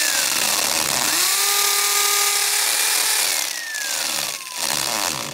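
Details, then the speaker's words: 240 V corded hammer drill in hammer mode boring into brick: a loud harsh motor drone over a rapid rattling, banging hammer action, working normally. "can hear it bang, bang, banging as it drills."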